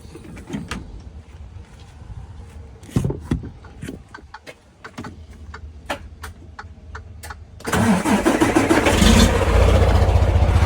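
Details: New Freightliner Cascadia heavy diesel starting and settling into idle with a rhythmic puffing tick from an exhaust leak, a common issue on new Cascadias.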